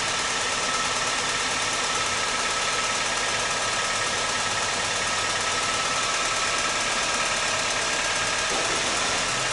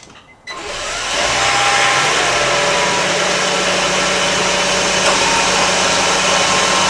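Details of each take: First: 2003 Honda Civic Hybrid idling petrol engine with a light, uneven tick about three a second, traced to a carbon-fouled rear spark plug; new plugs needed. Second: 2003 Honda Civic Hybrid starting after a new spark plug was fitted. It catches after a short crank and settles into a steady, even hum with no ticking; the earlier ticking and spark plug issue is fixed and it runs smooth and healthy.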